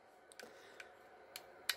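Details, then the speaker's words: Glock with an aftermarket trigger, connector pushed over by hand: a few crisp light clicks as the part pops back up; normal trigger reset click during a failure-to-reset diagnosis. "push it down push it over chris form pops right back up see that okay you can hear it clicking"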